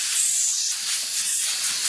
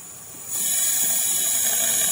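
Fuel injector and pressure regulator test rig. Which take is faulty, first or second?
first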